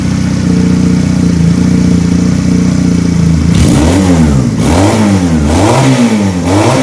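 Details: Benelli PE 250 FI, after MAP sensor swapped for a Suzuki Futura unit (wired to ECU pin 2, vacuum hose fitted): steady, even idle for three seconds, then clean, crisp blips climbing and dropping smoothly; healthy running.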